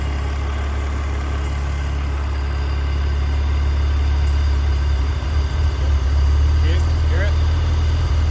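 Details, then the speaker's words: BMW E46 330Ci (impound-auction car, vacuum leaks being fixed), MAF plugged back in, then restarted: idle hunts and dips with sputter and lean backfires returning; owner notes it runs better than before, lean running. "I it's running better than it did before let's shut her off start her up see what she wants to do [Music] now we're back with the sputter running like [Music] and lean backfires again"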